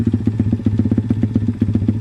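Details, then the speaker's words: Pit bike with Nibbi PE26 carb, rejetted pilot jet, warm: even, quick single-cylinder thump at low steady idle, no hunting or bogging, idle returns down nicely; well-jetted engine. "not having any not having really any bogging on that throttle the idle doesn't stay high at all comes down nicely the bike is warm so"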